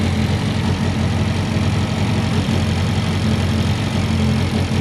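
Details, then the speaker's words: Car with fuel smell and rough idle, after swapping the O2 sensor and logging with a laptop: steady even low rumble with no misses, knocks or hunting; normal smooth idle, possible boost leaks still unchecked. "seems to be running okay it still sounds good"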